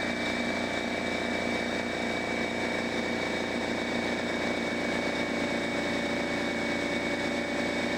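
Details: Brand-new DeWalt 55168 15-gallon air compressor, first start filling a drained, empty tank with the regulator at factory setting and timed to cutoff: a loud, even, unbroken pump drone at steady pitch. Running normally.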